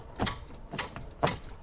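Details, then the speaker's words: Kenworth W900 truck, new train horn install: a 12V electric pull switch triggers the air solenoid, giving three sharp, clean clicks about half a second apart; the solenoid clicks and works normally. "But I don't know if you could hear that click, but that's the solenoid clicking. So, that's half the battle."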